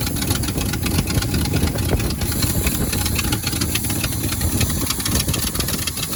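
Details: 1971 Ford Highboy truck V8, cold start at about two below zero on a 950 cold-cranking-amp battery: a steady, even idle with a busy low rumble and no misses or knocks. Normal cold idle.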